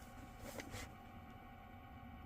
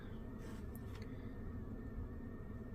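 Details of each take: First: Ducted 18K mini split indoor unit, upstairs, blower motor with worn sealed bearings that cannot be oiled, needs replacement: steady low hum with a thin constant whine on top. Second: Ducted mini-split indoor unit on high fan speed after blower motor replacement, listened to from upstairs: just a smooth rush of air with low hum, no ticking or bearing growl; normal blower.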